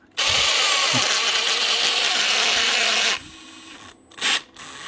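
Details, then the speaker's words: Makita DHP486 brushless drill after a quick trigger press: spins up fast to a steady high whine, no ratcheting or slipping clicks; gears locked in normally, square gear teeth only slip on initial start-up. "just like at it locks in again it's just that initial start up because them teeth are so Square they just sort of run over the top of each other"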